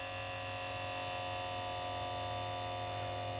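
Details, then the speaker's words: 1989 Jaguar XJ-S V12 Teves ABS pump motor, in the engine-bay corner opposite the driver, charging the accumulator normally: a steady electric buzz whose pitch lowers as pressure builds against it; about 150 ml of fluid leaves the reservoir. "So you can hear it buzzing over there. You hear the pitch change and lower. That's as the pressure builds in the system and the pump's faced with resistance."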